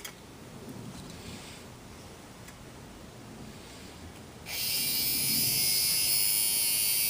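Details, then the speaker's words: Marx Big Job toy dump truck steering (directional) motor, seized from sitting, after oiling its bearings: steady high-pitched buzzing whir that starts and holds even with no catching or grinding, now spinning much smoother. "How much smoother that is now. This is the directional motor that turns the steering wheels."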